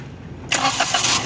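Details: 2020-2022 Maruti Suzuki Alto with no-crank fault (no meter lights, blown fuse), started using a jumper across the fuse: brief crank, catches straight away into settled idle; normal start.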